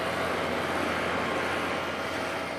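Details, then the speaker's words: Outdoor AC unit after thermostat repair (thermostat lacked 24 volts, no display, no heat or cooling), set to cool, starting after a delay: steady even whoosh of condenser fan and compressor, no knocks or squeals; normal running. "Outside unit running. Okay, it's not on yet. Sometimes they got a delay. Here we go. Hear that? Sound of success."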